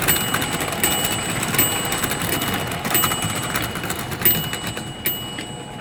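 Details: American Flyer #372 Union Pacific GP7 (1955-57) motor running well before further field-to-armature adjustment: steady electric buzz with soft even clicking about twice a second; motor spins freely, normal run.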